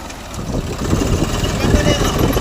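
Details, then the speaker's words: Swaraj 744 FE tractor before repair, noise present only in reverse for three days, driving forward: steady low diesel chug with no grinding or whine in first through fourth gears; forward gears clean. "Second second లో లేదా ఆ third third లేదు four లేదు"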